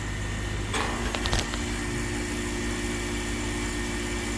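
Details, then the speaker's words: ECM fan motor, roughly 10-15 years old: steady hum with brief scraping catches as the roller bearings intermittently tighten and grab, then smooth again; fan motor bearing noise. "way, this motor, the bearings starting to make some weird noises."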